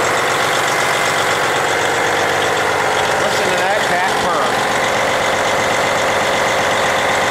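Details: Twin-turbo diesel after water pump replacement, with Lucas additive added, warming up with no water or oil leaks and the fan belt in place: a smooth, even idle with no knock, squeal or belt chirp. Owner fears a turbocharger may be going bad.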